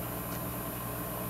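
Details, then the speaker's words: Odyssea 18" metal halide pendant, owned 6 months, fully warmed, camera very close to the ballast: steady, even electrical hum with faint high whine, no buzzing or crackle; inaudible from further back; normal ballast hum. "obviously I got the camera really close if I go back here you can't even hear it"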